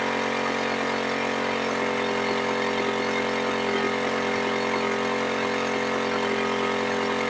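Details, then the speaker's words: Suzuki Smash 110 carbureted single-cylinder bike after idle/carburetor adjustment for a no-idle problem: smooth, even idle with a steady beat, no hunting or dying out as before; normal idle. "nah ini sudah enak ya kedengaran bunyi langsamnya itu sudah enak ya dan tidak mati-mati seperti tadi lagi ya"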